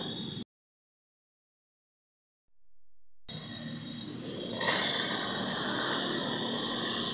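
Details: Old Zenoah chainsaw with a hard-start problem, being started after repair with the choke then opened: after a pause it fires and settles into a steady, high buzzing idle that builds slightly, running cleanly with no stumbling; normal idle.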